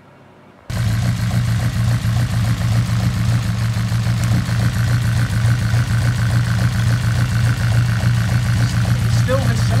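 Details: Honda Integra DC5 Type R at idle with one coil unplugged for testing: engine catches, settles into uneven lumpy idle with recurring stumble, running on three of four cylinders; misfire persists, owner suspects dead injector or plug.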